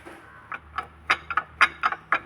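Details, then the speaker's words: Mahindra Quanto towed in after overheating, belt removed, engine off: uneven dry clacks, about four per second, as the water pump is turned by hand, with coolant leaking and the bearing loose; failed water pump bearing. "Sound ആണ് കടകട കടകടാന്ന് കിടന്ന് അടിച്ചേക്കുന്ന sound വരുന്നത് water pump bearing പോയിട്ട് നമ്മൾ rotate ചെയ്യുന്ന സമയത്ത് ഇവിടുന്ന് വെള്ളവും leak ആവാൻ തുടങ്ങി"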